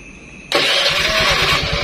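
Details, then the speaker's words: Carbureted Honda Beat scooter started with the newly fitted safety kill switch in the off position: a quick crank, then it catches cleanly and settles into an even, steady idle with no misses. Normal start and idle. "kunci kontak kita hidupkan motor hidup normal"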